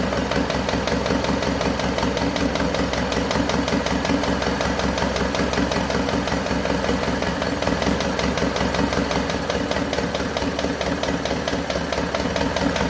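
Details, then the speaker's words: Isuzu Panther 2.5 diesel after overhaul and turbo upgrade, first start after two weeks assembled: light uneven tek-tek tick two or three a second over clatter; suspected from valve guides not fully settled, oil pressure normal. "masih ada bunyi tek tek tek dikit Lur Ya itu bisa jadi dari botolan masih belum balik dengan sempurna"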